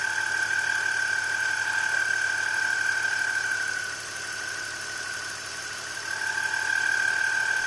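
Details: BMW E46 at idle: steady high-pitched whine over a smooth idle, easing briefly then returning, from a bad belt pulley. Replacing the pulley cured it.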